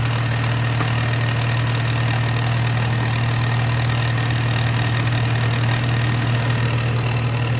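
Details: 2015 Jeep JK, 128k miles, idling with a deep droning hum and a loose, irregular knocking about twice a second underneath that comes on intermittently in the engine bay; cause unclear.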